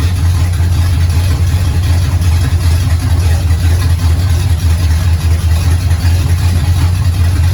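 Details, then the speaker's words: Barn-find 1969 Pontiac GTO with a 400ci engine, whose TH400 transmission needs rebuilding, idling on gas poured in from a third of a pickle jar: deep, steady, lopey rumble with no knocks or ticks; it sounds healthy. "it sounds good likes the gas that was a third of a pickle jar that"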